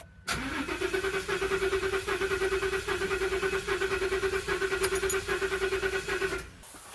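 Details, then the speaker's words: 2015 Ford Super Duty 6.2L V8 with misfire despite new plugs and coils, cranking during a relative compression test with current clamp; slightly lopsided cranking rhythm at about one beat a second; engine mechanical problem, low compression cylinder. "I can definitely see we have engine mechanical problems"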